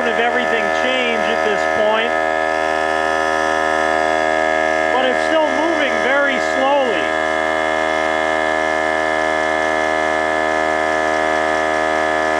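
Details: Harbor Freight air compressor with worn, damaged pump, heavily used: motor hum sags and wavers as it builds pressure, stalls and freewheels, then builds more; no replacement parts available.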